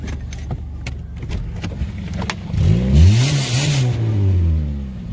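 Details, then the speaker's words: Saturn Ion revving after a drive home, stinky and smoky with a brake smell: revs climb slowly with a deep, choked, muffled drone; owner suspects a clogged catalytic converter. "Sounds like the cat's clogged. Oh, this thing is just stinky and smoky."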